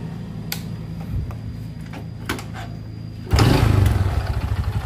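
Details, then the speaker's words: Honda Supra X 125 motorcycle engine: low knock at idle, about four per second, present from first start and growing louder and quicker as throttle raises rpm, never fading; worn connecting rod. "Sua muncul dan saat gas ditarik seiring putaran mesin jadi semakin tinggi putaran mesin suara itu mengikuti ya Jadi tidak hilang Nah itu salah satu ciri stang piston yang sudah kena"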